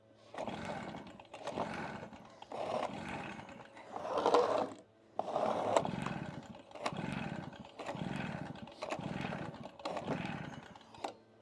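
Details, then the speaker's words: Stihl BR380 backpack blower, about 14–15 years old and hard to start for years, unused for a month or two; roughly one pull per second, each a short whoosh that never catches. Owner suspects the cylinder locks up. "I'm wearing myself out. Wow. Can't get her to go, Luna."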